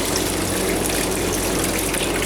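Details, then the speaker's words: Wash water circulation pump on a wash system, recently replaced and suspected of tripping its own breaker, running in the cycle before the dump valve opens: steady, even rush of water with no knocking, grinding or surging, operating normally. "and then the pump should run that was a new pump a little while ago and then the dump valve should open"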